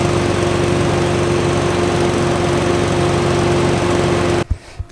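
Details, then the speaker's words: 2006 Infiniti G35 exhaust leak: loud, raspy idle with rapid steady puffing and buzzy drone that never goes away as it warms up, indicating a large hole, typically near the front pipe/cat junction under the car. "with some exhaust leaks wants the exhaust ones up the sound like should go away this never goes away so typically what that means is there's a pretty big hole somewhere"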